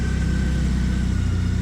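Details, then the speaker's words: 2012 Triumph Bonneville T100 EFI twin with stock pipes, just started with choke out: steady fast even idle with smooth low drone, calming once choke is pushed in; normal high idle on choke. "So with the choke in, it has what they call a high idle. So you hear that? And once the bike's going, you can literally just push it in and it calms down."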